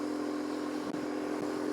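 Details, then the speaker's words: BMW R1150GS ridden at speed after a full repair following a major autobahn breakdown; even steady drone, no knocks, ticks or rattles; rider says it is nice and quiet with no untoward noises, despite the usual BMW shake; normal running. "nice and quiet. Well, for a BMW, they do shake rattle and roll a little bit, but everything sounds quiet. I can't hear no on untoward noises."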